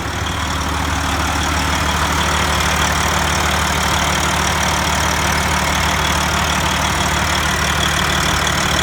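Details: Detroit Diesel 14-liter engine in a Freightliner, overhauled in frame, head overhauled twice: steady idle with a fast metallic tick about three per second from the exhaust pipe, also heard on the exhaust manifold with a stethoscope; shops call it normal, owner disagrees; cause unknown.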